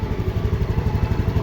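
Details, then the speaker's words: TVS Jupiter BS6 scooter idling after a starting and stalling fix: a stuck ISC valve found as the cause; test-ridden 5–6 km. A steady, even low putter with no misses or rattles; normal idle. "ഞാൻ അങ്ങനെ വണ്ടി ഓടിച്ചു നോക്കി ഒരു അഞ്ചാറ് kilometre ഓടിച്ചു വേറെ ഒരു കുഴപ്പവുമില്ല വണ്ടി സ്മാർട്ട് ആയി തന്നെ"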